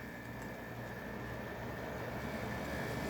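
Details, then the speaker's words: 1970s Amana 18,000 BTU room air conditioner on low cool after service including new connections: steady even hum with thin constant tone on top, building slightly, no rattles or clunks; cooling and running normally. "I think it's already getting cold. Can't believe it. I hear the gas."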